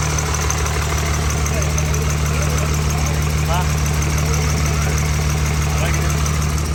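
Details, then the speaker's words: Freshly rebuilt 6.7 Cummins swapped into a second-gen truck, first start: loud diesel idle with a steady but lopsided chug, about three pulses a second, one beat missing; one cylinder dead from a bad injector, suspected damaged; dead cylinder misfire. "well bad injector so it does run y'all heard it run uh uh it runs really good other than we have one dead hole"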